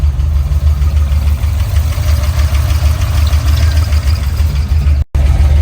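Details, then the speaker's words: Old-school car after 700R4 transmission swap, connector changed, fans running: brief stumble then deep, steady even rumble with no knock or miss; normal idle, back in business. "uhoh she want to act up on me just cuz I put y'all on camera there we go we back in business man"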